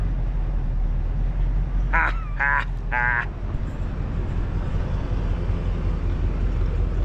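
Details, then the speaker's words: 1989 Ford F150 after a frame replacement, on first start once the fuel pump was primed: it fired easily and settles into a low, steady idle rumble with an even beat and no knocks or misses; normal idle. "Shoot. That lit off a lot easier than I thought it would. Heck yeah."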